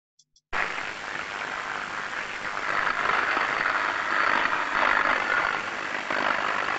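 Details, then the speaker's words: Airborne ultrasound scan of electrical switchgear: uneven, fluctuating hiss and crackle rising and falling with no steady rhythm, with a 50 Hz harmonic base; abnormal sound identified as surface tracking discharge. "so we can hear something there that's quite it seems to vary a bit in in the level of sound and it doesn't sound very uniform but it sounds abnormal"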